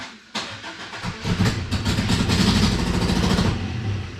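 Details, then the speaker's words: 1963 Chevrolet Impala after a 9,000-mile road trip: the starter spins the engine at a steady chug for about three seconds but it never fires. It cranks but won't start because it has no gas in it. "It ain't got no gas in it."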